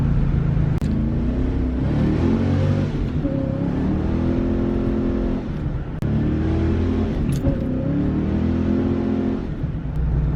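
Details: 1993 Ford Mustang Cobra 5.0L V8 road test after fixing the cylinder misfire that caused 2000-3000 rpm hesitation: pulls strongly, drops at the shift, then climbs again smoothly with no hesitation; all cylinders firing.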